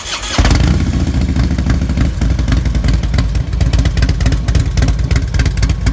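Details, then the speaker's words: 2006 Harley-Davidson Ultra Classic after an S&S 100-inch big bore kit, cams and TechnoResearch tune: V-twin fires up and settles into a deep, loping, bumpy idle from the added compression and cams, normal. "we hear the bumpy idle that's what they sound like when you add a little bit of compression and change the can"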